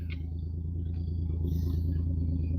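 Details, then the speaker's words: Dodge Dart idling: deep, throaty, unmuffled rumble with a rough, uneven pulse; exhaust sounds broken somewhere underneath or muffler off, loud exhaust. Cause suspected, not confirmed. "It runs good. Sounds like the muffler's off of it. Yeah, it's broke somewhere under there."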